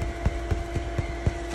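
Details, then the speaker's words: Small cheap replacement blower fan inflating an 8ft inflatable penguin; steady whir with a thin whistle and soft pulse, air hissing from the seams, running fine. "as you can hear it it's hissing like it's actually whistling for how well it inflates"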